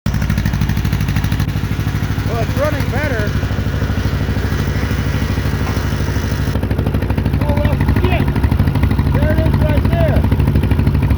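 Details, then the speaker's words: Case CK 530 tractor, long-running misfire despite new wires, cap and rotor: low rhythmic idle with an uneven, loping pulse; one valve found stuck down, not opening or closing, leaving a dead cylinder. "there that ain't supposed to do that it's not open and closing the Exploder hole thing is though what the hell happened this valve is just down good lord"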